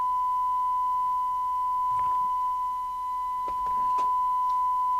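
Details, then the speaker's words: 1988 DNT Transit 40 CB27/81 UK FM CB radio under repair: a steady test tone comes through with buzzy, gritty distortion, and adjusting the S meter changes the sound. The cause is not yet found; the detector is to be checked next. "I don't like the way that sounds. The way affecting the way it sounds by adjusting the S meter is not impressive."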